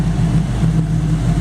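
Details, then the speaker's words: V8 engine in a 1933/34 Ford running chassis: deep, even idle with a steady low rumble and no knocks or misses. Oil pressure about 50 psi; healthy idle. "You'd either have to shorten it, or oil pressure is good, about 50 pounds here."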